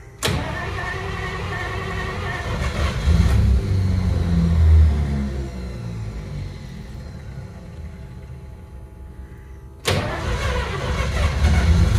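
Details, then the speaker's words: 1953 Pontiac Chieftain, cold start in freezing temperatures after sitting about a month: it cranks, catches, runs rough for a few seconds, then dies, and cranking resumes. The owner suspects the freezing cold isn't helping. "uh she's right there she's running and then she dies and it's probably not helping that it's freezing freaking cold out"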